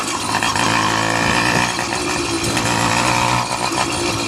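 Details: Motorized bicycle two-stroke: raspy buzz that wavers unevenly and won't hold a steady beat; running rough, possibly from an intake air leak.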